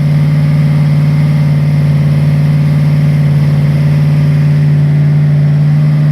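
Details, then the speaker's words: Freshly rebuilt Ford 302 V8 from a 1966 Bronco on first start on a run stand, breaking in camshaft: steady low idle with uneven, loping beat; dead cylinders blamed on carburetor, a bad lifter later found. "so something's not right i didn't want to hear that you don't have to show this dead cylinders i can tell the way it sounds it didn't sound right"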